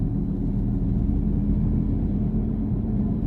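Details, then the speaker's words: Honda Accord Euro driving at about 60 km/h, heard inside the cabin: deep steady rumble over road noise, droning evenly without knocks; worn left rear wheel bearing, with no play up-down or side-to-side. "60-day so over the top of the road noise I hope you can hear it is actually the sound of the bearing kind of making noise there"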